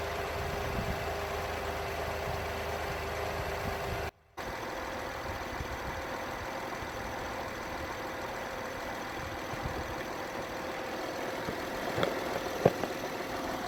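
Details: Honda Inspire/Accord 3.5L V6 (2008-12), $60 fuel pump and strainer replacement for cold hard start: steady, even idle with smooth hum, no knocks, misses or hunting; healthy.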